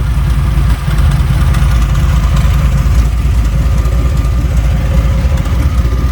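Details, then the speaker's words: Chevy C20 truck V8, turbo, just fired up with only one spark plug in: steady idle with a slight stumble and a faint light tick from the plugless cylinder; misfire from missing spark plugs. "there's one plug in this thing it just ain't very happy you can probably hear it in the in the video she's kind of got a little Miss to it"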